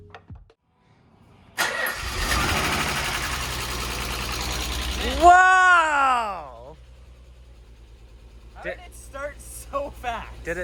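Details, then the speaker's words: Nissan 300ZX after a new 350 L/min fuel pump fitted: starts on first crank, then lumpy uneven idle running on only four cylinders; engine misfire, injectors suspected but not confirmed. "started up like first crank it's so powerful but it's still misfiring four cylinders it's running on four cylinders we think it's injectors"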